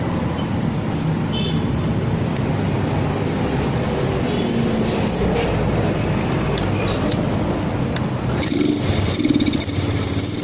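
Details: Yamaha Vega R fitted with a Vega ZR CDI, wired to the white wire from the spool: small single-cylinder engine runs steadily with a few throttle blips, picking up cleanly; runs fine.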